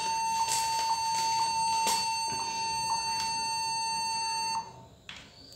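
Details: Laptop giving a continuous high-pitched beep on startup due to a stuck or faulty keyboard key; fixed by addressing the keyboard.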